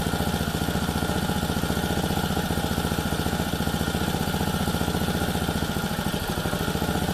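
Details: Lawn edger small single-cylinder engine, a no-start, after carburetor service, on bench: quick, even idle putter with steady rhythm, no misses or surging; runs clean, likely dirt in the carburetor had prevented running.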